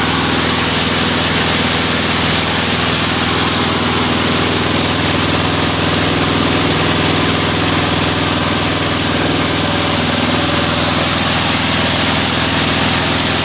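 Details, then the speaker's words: Weed Eater 22-inch front-wheel-drive mower, Briggs & Stratton engine, rescued from trash and repaired: steady high-pitched even buzz at full throttle, no surging or misses; analyzer shows about 2450 rpm low, 3100 rpm high (max 3200); running normally. "about 24.50 at low speed it shows at high speed 3100 perfect it's good enough"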